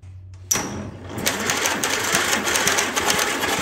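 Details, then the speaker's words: 1944 Allis Chalmers B tractor with new starter drive gear, external battery, in neutral, all spark plugs removed: a sharp clack as the starter engages, then a quick, even, unloaded whir with no firing; starter works. "i removed all the spark plugs so there'd be less compression when it's trying to crank it let's see if the starter works or not"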